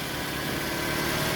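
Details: Toyota Camry that knocked the starter first and would not start, now idling steadily with no knocks or stumbles and a smooth engine hum. Normal idle.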